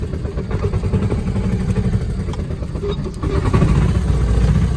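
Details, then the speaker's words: Kawasaki Mule 2510 with old gas and a carb needing cleaning, running choked, in high range: an uneven lumpy note surging and sagging as the throttle is worked, never holding a steady idle; cause suspected, not confirmed. "It runs awful. It will not idle, so you have to keep feathering the throttle."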